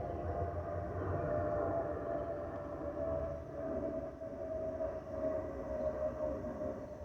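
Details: Spirit Airlines Airbus A320-232 (N628NK) in the cabin during a Cancún–Detroit flight: a steady high whistle around 600 Hz over cabin rumble. This is the normal fuel overpressure protector (FOPP) whistle.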